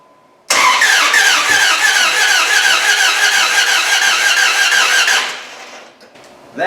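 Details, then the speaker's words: Jeep 4.7 HO V8 replacement engine in a Dodge Ram 1500, fuel pump relay unplugged: even cranking at about three beats a second for five seconds with hollow puffing and no catch; timing suspected jumped, cam not turning. "is a whole new sound making some kind of funky puff noise you know what that tells me i think it jumped time that's what i've been thinking all along"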